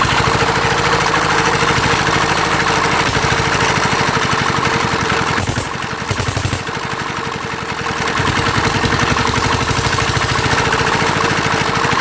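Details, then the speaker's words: Roughly 40-year-old Mitsubishi NM85 single-cylinder diesel, rebuilt and test run: even thumping with a constant whirring hum from a worn cooling-fan bearing; injector and air issues and a wrong spring also noted. "แล้วก็สังเกตมันจะดังลูกปืนพัดลมนะครับ"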